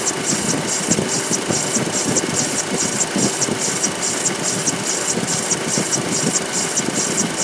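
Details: 2.0 TFSI engine at idle: sharp clack roughly once per second over a high-pitched ticking; owner finds the sound beside the clacking especially strange, cause unknown, likely top end.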